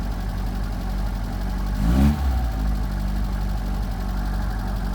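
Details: 1978 Fiat 124 Spider with rough idle under diagnosis: low, uneven idle with a lumpy, unsteady beat and a brief stumble-and-catch midway; cause not evident.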